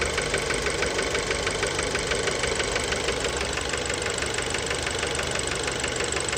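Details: Fiat Bravo 2, 1.4 T-Jet 150 HP, 215,000 km, recently serviced, recorded close to the engine at steady idle: sharp, regular metallic tapping about three per second. Worn rod bearings knocking; cause unknown, car scrapped.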